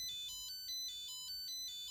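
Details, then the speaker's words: Nickel strip spot welder, freshly restarted, gives short high-pitched beeps alternating in pitch, several per second. Its battery reads 2.7 V rather than 3.3 V, so the owner suspects a low-battery error state wanting a charge. "So it probably does this because the battery is definitely not a 3.3, it's a 2.7. So maybe it just goes into this error state where it really wants to be charged."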